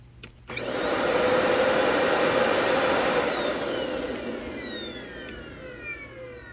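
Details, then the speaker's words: Vacuum with its power switch stuck always-on, used to suck up drywall dust: the motor spins up to a sharp high whine and then coasts down. Drywall dust has damaged the motor. "You hear how it's kind of really high pitched towards the end there? Now, it was a lot worse when both of those filters were on because they're both plugged up, but at this point, that drywall dust has gotten into that motor."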